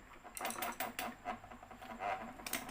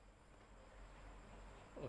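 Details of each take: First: จะมีเสียงแก๊กๆเลยนะครับอยู่ตรงนี้นะครับ Second: Electric fan after a temporary repair with thread: a faint, steady low hum, smooth running, and the earlier knocking clicks are gone.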